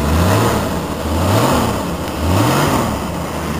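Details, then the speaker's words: 1980 Ford Mustang, 200 CI inline six with glass pack and stock exhaust manifold (header planned): two smooth rev blips rising and falling cleanly over a throaty six-cylinder burble, free revving with no knocks or misses. Healthy. "That's what it sounds like with the glass pack and stock exhaust manifold. I do plan to get a header for it soon."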